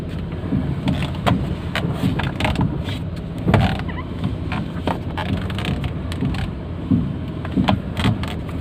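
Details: Maruti Suzuki Alto K10 steering: dull uneven knocks at intervals, several per rotation, as the steering wheel is turned; steering knock of unknown origin.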